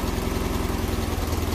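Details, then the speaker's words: Freshly rebuilt 1600cc VW Type 1 air-cooled flat-four after carburetor dialing, about 30–40 lb oil pressure at idle: steady, even low burble with regular firing pulses and no knocks or misses; idles smoothly. "Sounded really good. 40 pounds or 30 pounds on idle."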